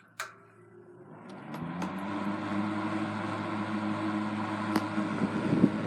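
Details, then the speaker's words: 1960s Eskimo model 2012 12-inch box fan, restored with repainted motor, starting on high; winds up to a steady even hum and airy rush with no rattle, though it rattles on medium and low for lack of shaft spacers. "on high it doesn't make any sounds but on medium and low it rattles a little bit because uh I need to add some spacers onto the shaft"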